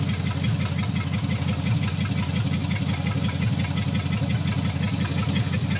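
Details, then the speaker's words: 1954 Meteor with Ford flathead engine, ahead of its first drive since 1966, still a slight shake: deep loud chuffing idle at about three pulses a second with a raspy edge; owner suspects a big hole in the exhaust, unconfirmed. "i'm sure there's a big hole in the exhaust"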